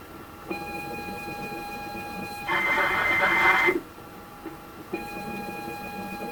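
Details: ZX Spectrum 128 +2 (borrowed) trying to load Football Director from cassette, external tape connector soldered to board as the internal drive doesn't work; steady high pilot tone, harsh second-long data screech, back to tone; load fails.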